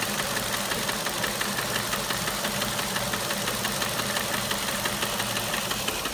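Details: Ford Mondeo 1.8 petrol Duratec HE, 87,000 miles, at idle: light, fairly regular tapping about two per second over the engine hum; source unknown.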